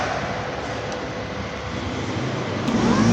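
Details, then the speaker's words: Indonesian motorcycle starter motor bench-tested directly on the battery, run only briefly because the small wire heats up: a steady electric whir that builds a little as it spins freely, with no catching or grinding. The starter motor is normal. "Nah, ini berarti normal. Tapi kalau tidak terjadi perputaran, ini tidak normal, maka yang kalian lakukan adalah mengecek motor starternya."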